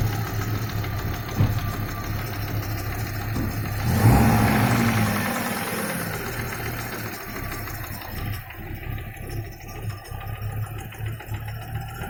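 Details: Audi 2.3 NG engine, warm idle after reaching 70-80°C, smooth when cold. Dull, regular knock about four per second, low in the engine, that grows with heat and stops at 1400-1500 rpm. Loudest on the right side of the oil pan near cylinder 4. Pulling cylinder 4's plug cap stops it for about 4 s. Cause unclear.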